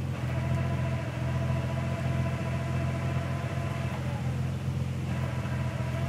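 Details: Nissan 300ZX twin turbo with a new 98+ J-spec OEM manual transmission, 3,000 miles, Redline MT-85 fluid: steady thin whine over engine rumble, faint in neutral since installation, loud in low gear and on deceleration in 1st.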